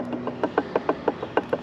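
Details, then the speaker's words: 1999 KTM engine off, stator cover removed, crank/flywheel rocked by hand: seven to eight sharp metallic clunks a second from excessive crank play; crank bearing done, causing power loss and oil burning, bottom-end rebuild needed. "You hear all that play? Crank bearing is done."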